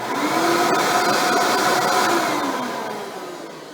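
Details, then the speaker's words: Hoover Elite upright vacuum motor, bought with a non-spinning brushroll; smooth steady whoosh with clean even tone, winding down, no rattle or shattered-fan sound; normal vacuum motor running. "as you can hear the motor sounds pretty healthy surprisingly I'd expect this thing to sound a lot louder like it it shattered a fan so luckily we're in the clear"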